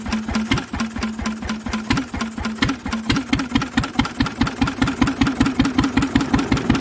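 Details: Lister engine on its first start in 40 years, on a little choke while the fuel needle is balanced: steady single-cylinder chuffing about five beats a second with a noisy exhaust, even and free of big-end knock; it runs healthy.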